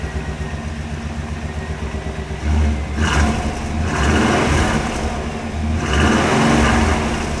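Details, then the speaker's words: 1998 Chevrolet 1500 GMT400 truck after replacing a wire-hung custom dual exhaust with an aftermarket kit, O2 sensor reinstalled: smooth idle and three clean throttle blips, no rasp or leak puffing; sounds much better. "Unbelievable how much better that sounds. Unbelievable. It sounds so much better."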